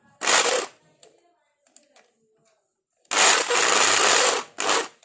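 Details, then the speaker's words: Electric drill run in short bursts before repair: harsh, rough rattle from inside, with the chuck out of balance. "तो देखिए दोस्तों इस दिल के अंदर से बहुत जोर से आवाज़ ए रही है और दिल के चक्कर भी बैलेंस गड़बड़ है"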